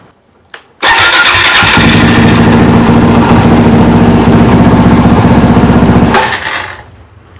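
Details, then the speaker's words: Motorcycle single after carburettor rebuild, no fuel leaks, idling: quick, slightly uneven idle with occasional pops; owner suspects lean running, tune still needed. "It has a bit of a popping sound, so it definitely needs to be tuned, but I'll need to get some more fuel and I'll need to get some more oil and then we'll do an oil and a filter."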